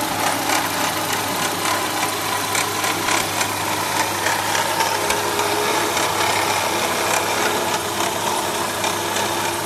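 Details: Renault K7M engine at a loud, busy idle: uneven, rapid ticking rattle of about three per second over the hum; abnormal extraneous engine noise, source undetermined.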